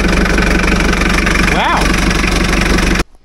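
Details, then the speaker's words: 2.4 L diesel with a dead battery, jump-started on an Andeman E-P155 Pro boost pack; steady, even idle clatter at about four beats a second, no misses or knocks, then shuts off cleanly: normal idle. "on I'm actually impressed that's a 2.4 L uh diesel engine and it fired right the"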